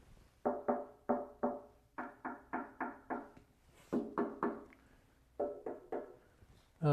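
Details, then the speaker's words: Fabricated bell-shaped Dayton bench grinder pedestal after filling its inside with Great Stuff wide-gap foam, tapped: short dull knocks dying quickly with no tinny ring, solid and well damped versus the hollow sound before. "this is way better. It sounds a lot more solid. the tininess, the the ringiness."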